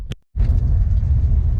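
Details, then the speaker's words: 1966 Chevy Nova with 1967 inline-six, after replacing the distributor (previously doggy), warming up: deep, steady low rumble with even firing, no misses; idles much better with the new distributor. "Yeah, the car does idle a lot better with the new distributor."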